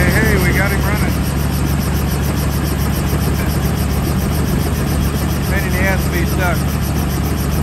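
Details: Helicopter on the ramp at Dexter (KDXE). A deep, even engine drone with a steady pulsing beat and no misses or surges. Running normally.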